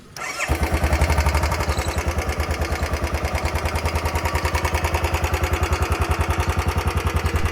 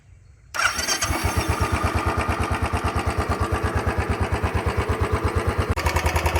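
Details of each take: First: Royal Enfield Bullet 350 BS6, about four years old, roughly 3137 km: engine fires up, then a sharp even tick-tick at roughly three and a half per second over idle, never heard before; tappet ticking from low oil, going to service centre. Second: Royal Enfield Bullet 350 BS6, about 4 years old, after service fixing a tick-tick noise, ridden 50-60 km since: single cylinder starts and settles into an even, steady thump about three beats a second, no ticking or knocking.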